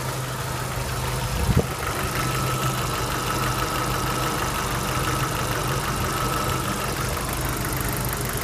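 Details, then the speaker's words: 1993 Jeep YJ 2.5L 4-cylinder, 360,000 km, oil pressure over 30 psi: a steady idle with a faint light tick riding over it; the owner suspects worn lifters but could be wrong. "It's just because the lifters were worn out. I think that's what that noise is. Could be wrong though."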